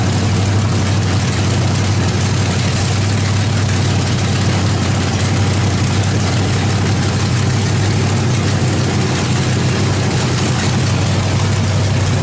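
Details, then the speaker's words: 350 small-block V8 with a Thumper cam idling on open headers, no exhaust or mufflers fitted yet, not yet in the truck; loud, deep, even burble, no ticks or knocks, motor sounds great. "um that motor sounds great uh you know once we get an exhaust on it couple Mufflers uh maybe get it in the truck it'd be really nice to hear that Thumper cam"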